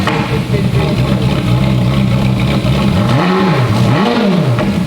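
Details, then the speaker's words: Ferrari F430 V8 with a rebuilt engine, warming up after its first start: loud idle with a slightly uneven beat and two quick revs; it won't idle cleanly because the vacuum lines are disconnected. "It just doesn't like idling very well, does it? Well, your vacuum parts are off in it. Yeah, that's what it is. The vacuum parts causing it to idle."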